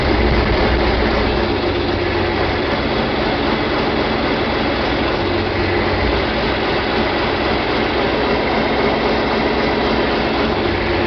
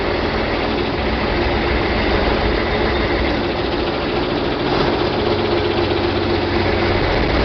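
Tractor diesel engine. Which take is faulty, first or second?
second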